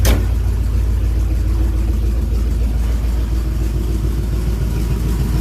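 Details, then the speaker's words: 1967 Chevrolet C10 V8 after camshaft and lifter change, warming with light throttle blips: deep even rumble, no knocks or misfires, smoking stopped, running good. "it's running good I mean decided I'll be back with you here in a minute"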